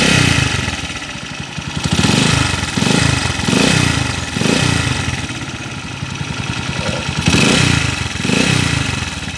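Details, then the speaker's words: Honda TMX155 single idling rough and loud with an uneven churning, rattling beat, like something spinning inside; owner reports knocking when cold that fades when warm; mechanic suspects worn crankshaft bearings. "kakaiba yung tunog nito mga kaabo kakaiba yung andar niya yung ingay ng makina kakaiba oh parang may ma-i na umiikot sa loob"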